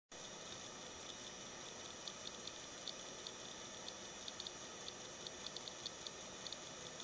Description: The noise my cable box makes sounds like music